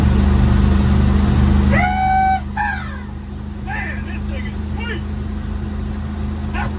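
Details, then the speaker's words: 1955 Chevy dump-bed truck, sat 23 years, small-block V8 (owner says old 350) with cherry bomb mufflers, driving: deep, even exhaust rumble, then a dog barking covers it; normal running. "I love this truck. Thing sounds great, man."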